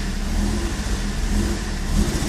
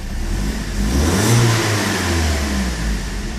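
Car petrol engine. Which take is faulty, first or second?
first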